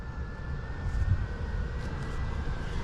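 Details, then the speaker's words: Newly installed universal multi-directional blower motor in an air handler, diagnosing no airflow on a cooling call: after choosing its direction it gradually speeds up to a steady low hum with a faint even whine; running normally. "And then at some point it will make up its mind which direction to run. And it will start to gradually speed up. There it goes. You hear it running."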